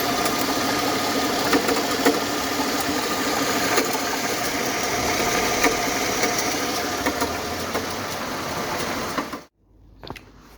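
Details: Mercedes W220, M112 E32 engine, 372,900 km, idle: light fairly even tapping about three times a second from belt-driven end; water pump had play and slight leaks, alternator bearings and water pump replaced, knock gone.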